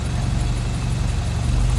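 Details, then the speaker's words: 1963 Triumph TR4, 2,138 cc inline four on twin Strombergs, warmed up, choke fully off, hood open from driver's side: smooth, even low rumble with no misses, knocks or hunting; normal idle. "Nice and quiet. And it has definitely smoothed out without that choke on now."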